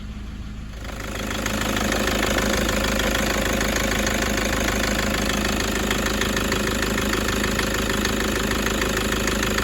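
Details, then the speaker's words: Toyota 1KD-FTV D-4D diesel, injectors replaced about 5 years ago, low kilometres, possible bad fuel or contamination suspected: engine-bay idle with a steady diesel note and a sharp, regular knock about three per second, sounding like one injector, matching the injector feedback values. "this is the first one I've ever seen that I'm actually agreeing it's got a bit of a knocky weird knocky noise that does sound to me like one injector which coincides with the feedback values"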